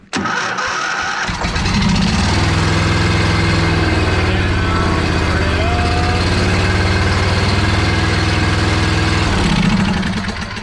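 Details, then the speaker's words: John Deere zero-turn mower with a running Briggs engine, started after fixing the throttle issue: it catches quickly and settles into a steady, even beat of about four per second with no hunting or surging. Normal running. "engine's on I got it mechanically running"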